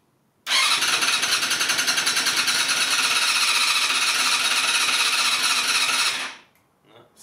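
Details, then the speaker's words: Vintage Yamaha YZF 250cc that sat outdoors for 10 years, full choke, carbs cleaned: starter churns steadily at about four pulses a second for six seconds without firing; no start because the spark box was disconnected. "let me check the spot box no oh this is not even connected oh damn damn dog all right let's connect that"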